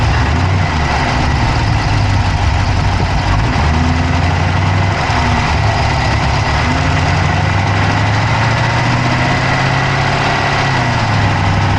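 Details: Dodge Charger Hemi V8 at steady idle, recorded inside the engine bay on the passenger side with an Insta360 Go3: fast, light ticking rides over the low rumble; a top-end tick at idle whose cause isn't pinned down yet.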